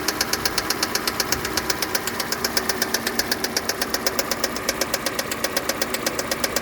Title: Стук двигателя 2.0 G4NA KIA Sportage 2015